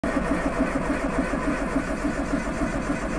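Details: Triumph Spitfire 1500 with points distributor: steady cranking at about 3.5 beats a second without catching; hard starting, probably from incorrect points gap affecting spark timing and strength, before adjusting.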